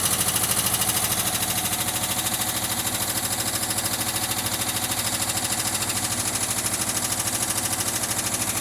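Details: 1979 VW Westfalia on a cold start after sitting a long time, smelling rich. A quick light ticking rides over a rough cold idle, and the lifters quiet down as it warms. Hydraulic lifter tick.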